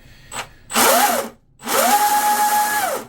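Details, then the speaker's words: RC Deltaforce Vortex 24 twin hydroplane, generic 80 A waterproofed ESCs, Leopard 2850 motors on 4S packs, newly greased driveline, full trigger out of water: clean whine rises to steady high pitch, no burst or stutter, winds down smoothly; normal spool-up, motors slightly warm. "Yeah, you can hear it. There's no burst. You would usually hear it spool up and then go zzz, higher, you know."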